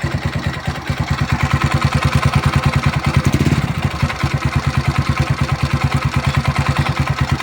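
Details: Rusi Passion motorcycle, customer's bike, main complaint noise at idle: loud hollow clatter pulsing about three times a second, dipping briefly when revved; worn, scored piston slapping in the bore.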